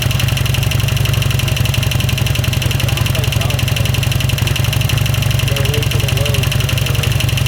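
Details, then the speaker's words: 2007 Harley-Davidson Sportster V-twin at idle, first start after replacing rocker box gaskets: fast, fairly even light ticking about four per second over the lumpy idle; owner fears bent pushrods, helper says it's valve ticking from the top end, not pushrods. "No, that's valve noise cuz it's on this side. It's the valves, not the push valve ticking."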